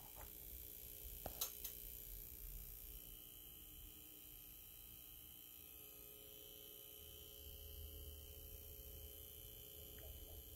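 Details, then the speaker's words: Brand-new Optoma UHD52ALV projector in 4K mode, movie paused: faint constant mid-pitched buzz over low hum, absent in 3D mode; suspected 4K pixel-shift actuator, not confirmed. "there's a buzzing noise that you're hearing any quiet scene or any lower volume scene you could hear this buzzing noise coming from the projector when it's in 40 mode"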